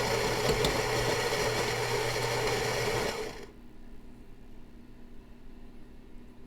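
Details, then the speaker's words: Philips 5400 LatteGo espresso machine, about two months old, grinding beans that are then settled into a puck: steady, even whirring grind for about three seconds, cutting off cleanly; normal grinding, though the unit is a little loud. "Now those beans are, after they're ground, they're being settled into a puck for the espresso to be made."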